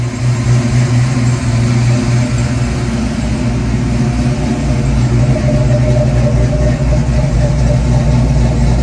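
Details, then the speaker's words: 1991 Ford Mustang GT hatchback V8 after an ECU change, now warmed up: steady deep idle with only a slight lazy hang, no hunting; the cold-engine idle surge has calmed, though its cause is still unknown. "All right, so after messing with it for a little while, I finally got to warm up a little bit, and the idle surge kind of calmed down, because this thing kind of just goes really erratic when it's cold."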